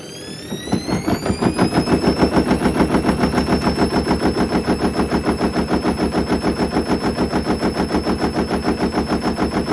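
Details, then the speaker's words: Hoover Link HL1682D3 washing machine, previously wrecked, door seal twisted: drum speeds up on spin and the cabinet bangs hard and evenly about three times a second, extremely loud rattling, violent cabinet banging on spin. "I I think we get the message it works that's Extremely Loud honestly I was he's quite insane um I could barely hear the mic I could just hear the whole machine just rattling"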